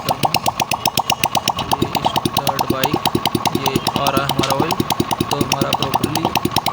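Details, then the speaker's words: TVS XL 100cc moped engine after half-engine/head rebuild with timing and tappets set (tappets kept slightly loose), oil reaching head: steady even putter about seven beats a second, light regular valve tick, no knocking; normal idle. "तो दोस्तों आवाज़ तो मेरे हिसाब से बिल्कुल set है, आपको भी सुनाई दे रहा होगा ठीक ठाक है आवाज़।"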